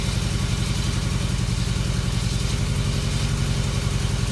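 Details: 1994 Toyota Tercel, hot-soaked with Seafoam through PCV vacuum line, two cylinders around 60-90 psi: deep lumpy idle, uneven stumbling beat with a cylinder dropping out; misfire from low compression, suspected non-sealing valve.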